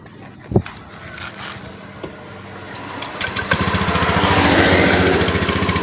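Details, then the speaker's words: Honda Beat eSP (K81H/K25G) scooter after an ECU service and reset of its stored fault history: starter whirr, then the engine catches and settles into an even, steady putter with the rear wheel turning; normal running. "Oke, bisa teman-teman dengar mungkin ya, untuk mesinnya rodanya pun sudah berputar teman-teman."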